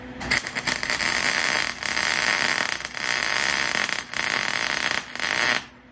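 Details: A 25-26-year-old MIG welder running a slightly weaved bead joining metal pieces. Steady, crisp frying sizzle in one-to-two-second runs with short breaks; normal, stable arc, melting in properly with no popping.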